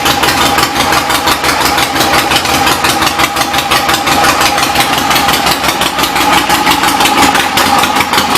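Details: 1975 Harley-Davidson XLH Ironhead Sportster after repairs and new intake gaskets: steady, loping twin beat at idle, firing evenly with no knocks or clatter; normal healthy idle.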